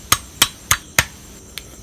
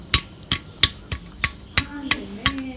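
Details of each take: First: Yamaha RXZ crankshaft removed during engine disassembly, held in hand and struck: four crisp bright ringing taps with clean sustain and no dull buzz, indicating a sound crank. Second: Yamaha RXZ engine being disassembled, crankshaft removed and checked by hand: sharp metallic raps about every third of a second, each with a loose rattling ring; the noise means the crank main bearing is worn.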